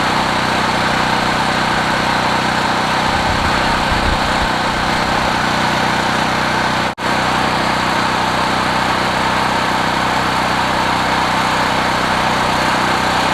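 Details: Several-years-old Generac portable generator with 36.8 hours, started after about 25 pulls on choke, cold: small single-cylinder engine holds a steady, even drone at constant speed with one brief dropout; runs smoothly once started, warm restarts are easy.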